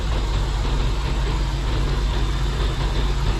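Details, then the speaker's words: Cooling fans at low speed with engine idling and A/C on, after 15+ minutes running, on a car that overheats at idle; even low hum, no rattles or scraping, both radiator fans working at low speed while the high speed had not worked. "yes it is working at low speed and the other one also is working and this one is also working so both of them are working at low speed"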